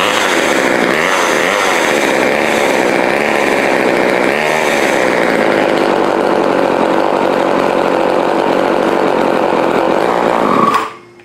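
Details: Old Craftsman chainsaw, two-stroke, after partial carburetor rebuild with diaphragm reinstalled correctly and exhaust refitted, no air filter yet: buzzes at high rev about ten seconds then cuts off cleanly; starts and runs normally.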